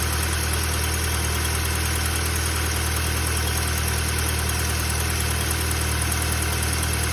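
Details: Audi A3 1.6 FSI, 220,000 km, 5W30 oil: smooth, even idle with no knocking, after a cold-start rattle (owner suspects tensioner) fades to normal; the rattle happens only at cold startup.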